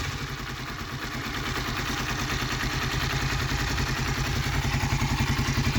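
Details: Cold Honda CBR 125 R (JC34) single idling evenly with a fast light clatter on top, about three to four taps a second; source unclear, cold-engine mechanical clatter.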